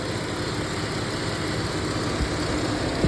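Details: 2018 Dodge Caravan SXT after oil filter cooler housing O-ring replacement and Time-Sert thread repair, running hot, thermostat suspected: steady even radiator fan whoosh over smooth idle, no rattles or rubbing; fan sounds healthy.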